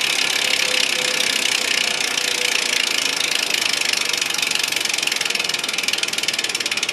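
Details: 2010 SRAM S60 wheel with SRAM Red OG-1090 cassette coasting down: fast, crisp, even clicking that slows gradually as the wheel slows; loud but healthy freehub ratchet.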